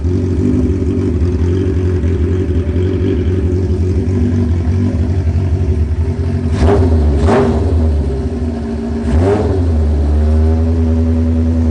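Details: First start of a restored carbureted four-cylinder motorcycle, idle set to about 1300 rpm. It settles into a steady idle and picks up crisply on throttle blips with no dying or sputter, though the owner first suspected a slight miss. Normal idle and throttle response.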